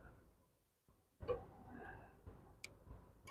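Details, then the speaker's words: 250k-mile Subaru in PDI test mode via the fuse box, engine off: sharp, irregular clicks a few per second as relays and AC clutch cycle normally. "look right here see the AC clutch is engaging going take the mic off you should be able to hear it all right we got relays clipping over here"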